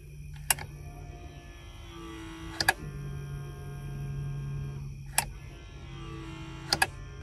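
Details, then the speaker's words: Dexter electric-over-hydraulic brake actuator on a camper, working once a missing fuse was replaced: a click, a steady low electric hum for a couple of seconds and another click as it builds brake pressure; normal operation. "i don't know if you can hear it but i can hear the actuator kick in when i do that and build pressure on the brakes"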